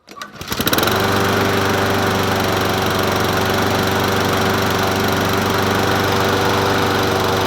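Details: Troy-Bilt self-propelled mower with Honda GCV160 engine, free find: catches within a second of the pull and settles into a smooth, steady run with no misses or knocks; engine healthy.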